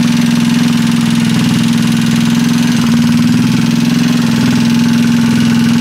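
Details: Freshly assembled Trailmaster 150 stroker single-cylinder engine with cleaned head and valve job: steady, even idle with constant low drone, no knocks or misses; healthy.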